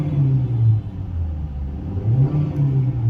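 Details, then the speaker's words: Hyundai i20 after gearbox service for a noise caused by oil fully leaked out and dried up: engine revved up and settling gives a clean rising and falling drone, no whine or grind from the gearbox after the trial run. "अभी इसके gear box से कोई noise नहीं ए रही है मैं आपको गाड़ी चालू है एक्सीलेटर करके दिखता हूं ये देखिए"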